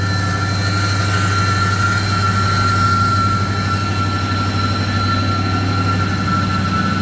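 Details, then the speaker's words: 1966 AMC Marlin 327 V8, restored after 8 years stored, cold start: steady high-pitched whine over even V8 rumble; a clutch spinning that shouldn't be, whine goes away as car warms. Cause suspected. "And if I can hold this steady while I crank it. Right away you can hear that clutch. Not supposed to be spinning. We'll fix that."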